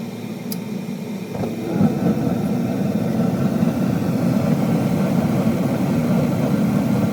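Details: Furnace after the inducer motor with a failed, screeching bearing was replaced (new motor and fan, old cage): quiet start, then a steady low roar as the burners light, with no screech; a healthy startup.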